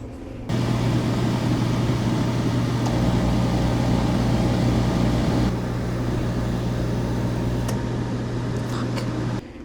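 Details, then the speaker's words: Diesel-fueled torpedo space heater in a cold winter chainsaw carving shop: steady fan hum that steps down then cuts off without burner roar; the heater tries but fails to fire. "Ah, didn't do it. Didn't make it. When it does fire, it's probably going to smoke like crazy."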